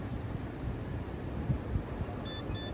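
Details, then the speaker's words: 1990s Chevy truck brake fluid tested with KAIWEETS KVBF01 pen: rapid high-pitched beeping, reading overloaded, too much water in brake fluid. "You can hear the rapid beeping because it is well past the healthy point."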